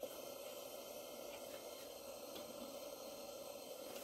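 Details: Barn-find English-made Coleman 237 kerosene pressure lantern on original kerosene, possible slight leak at cleaning-needle area: quiet, steady, even hiss with no sputtering or surging; burner running normally.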